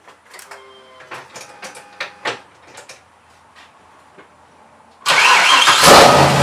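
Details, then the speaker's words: Mazda RX-7 with LS6 intake manifold, first start after intake gasket repair: quiet clicking, then it catches and revs straight to about 2,000 rpm, starter clank now gone; owner suspects the unplugged vacuum line to the density sensor causing high idle. "cranked it up. It went to revving to 2,000 RPMs right off the rip. No clank from the starter though."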